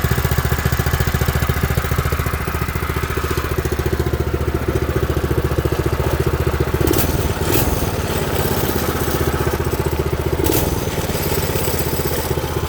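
Fast, steady single-cylinder putter that holds an even beat throughout with no misses or knocks; this small engine is running well.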